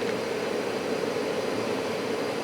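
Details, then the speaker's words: Furnace or heat pump air handler ECM blower motor after repair, with an earlier A41 blower motor fault now cleared: a smooth, even rush of air with a steady mid-pitched tone and no surging or rattle. "the fan is working again"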